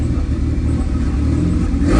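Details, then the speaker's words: VW 2.0T TSI with a K04 APR turbo idles with a rough, uneven low rumble, misfiring on all cylinders from a huge boost/vacuum leak at the intake manifold. "this car is misfiring like crazy i found that there's a a huge boost leak right here and that's why the car is misfiring on all cylinders"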